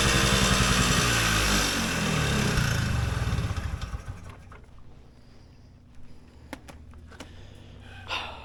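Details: Polaris Colt vintage single-cylinder two-stroke race sled at part throttle after a needle clip change pulls loud, then its pops slow and fade unevenly instead of clearing out. Rich bog from an oversized 360 main jet, later changed to a 170.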